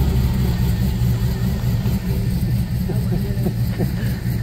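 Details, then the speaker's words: 1972 Monte Carlo with an LS swap: deep, steady V8 rumble with a slight lope and an occasional light blip, settling into an even, healthy idle. "that smile made all it worth it it sure did sounds good"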